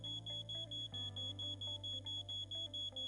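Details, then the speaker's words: Siemens SENTRON powermanager V8 software, first login before any configuration: steady high-pitched beeps about twice a second, the default alarm sound for active warning alarms, silenced from the command tab. "Burada F sekmesinde bilgilendirmeler var ama alarm sesinin kaynağı bu mesajlar değil. ilk oturum oldu ve henüz bir yapılandırma yapmadığımız için verilen ikaz mesajları aktif alarmları command sekmesinden kapatıyorum."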